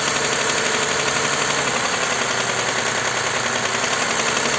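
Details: Toyota Highlander U50 3.5 2GR-FKS, 93,000 km: fast hard metallic knock steady through idle; dealer diagnosed hydraulic lifters, mechanics suspect connecting rod knock, audible from the oil pan, increasing with revs.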